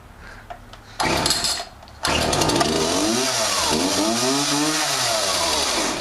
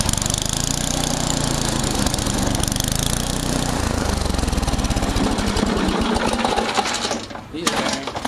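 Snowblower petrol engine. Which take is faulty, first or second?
second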